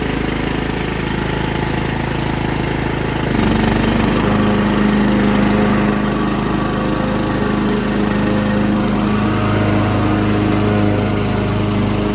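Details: Mastercraft hydrostatic 16 hp, 42-inch lawn tractor with Briggs & Stratton Intek engine, strong battery, starts instantly with a little gas: catches and settles into a smooth, even drone with no knocks or misses; normal healthy running.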